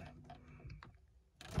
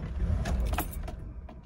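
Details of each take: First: 1989 Mercedes W126 560SEL, still warm, after swapping the aftermarket ECU and fuel cut-off relay for Mercedes parts: key clicks, then a quick crank, catch and steady, even low idle. Normal start and idle; a faulty EZL is still suspected. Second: Mercedes W126 560SEL (3/89) after swapping in a genuine MB ECU and fuel cut-off relay: the engine catches in a short ragged burst, then sags and dies within a second; fault now suspected in the EZL or crankshaft position sensor.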